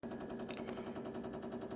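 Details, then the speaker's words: Frigidaire refrigerator with no ice maker: fast, even knocking, about a dozen raps a second, over the steady low hum, coming from the freezer section and sometimes louder. "Why does my Frigidaire refrigerator make that noise, that knocking? And it gets louder than that, too. So, it's coming from the freezer section."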